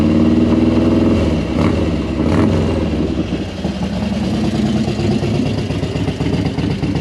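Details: Harley-Davidson Dyna Wide Glide FXDWG idling after repair of a leaking inner primary shift shaft seal and transmission mainshaft seal: loping, uneven big-twin idle about four pulses a second, no rattles; easy-start cam compression releases thump at shutdown, normal.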